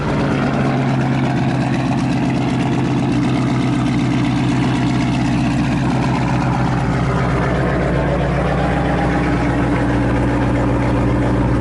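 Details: Camaro ZL1 V8 that had been missing and stuttering, after a damaged spark plug was replaced: steady, even idle with a deep smooth burble and no misses, knocks or ticks; sounds normal and fixed.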